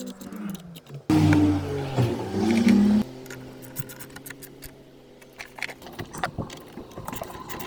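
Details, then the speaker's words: Land Rover Discovery TDV6 diesel starting after a battery replacement, with no faults and starting a little better. A short crank catches within about two seconds, then settles to a quiet, even idle. Normal start. "good oh that does start a little better good no faults after battery replacement"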